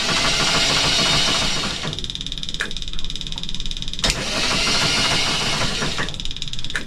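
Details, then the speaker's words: Phasor marine diesel generator after fitting a new injector, fuel flowing and preheat run; steady starter churning with a rapid even beat for about seven seconds but it never fires: crank, no start. "And it did not start, so let's find out why."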